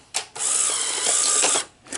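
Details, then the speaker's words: Sony SL-HFR30 Betamax VCR during fast forward: short whirr then sustained high mechanical hum; owner suspects capstan or reel motor, considering reel table capacitors, unconfirmed. "when i was when i was fast forwarding it did you hear that motor it was going hmm so it wasn't it was humming"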